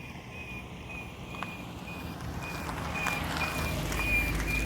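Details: Honda Fit GE8 with brand new brake pads, driving with brakes released: short high chirp about three times a second tied to wheel speed over rising road noise; lessens when brakes are pressed.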